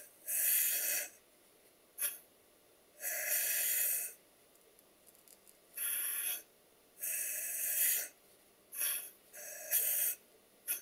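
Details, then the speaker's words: Stuart Double 10V model steam engine, crankshaft turned on compressed air. Hissing puffs: one valve admits and exhausts cleanly with a chop, the other wheezes at both ends of the stroke. The customer had reported knocking after using machine oil. "if you listen carefully to the noise at the engines making you will hear that one of the valves admits and exhausts nice and cleanly with a bit of a chop and the other one just weees at both ends of the stroke"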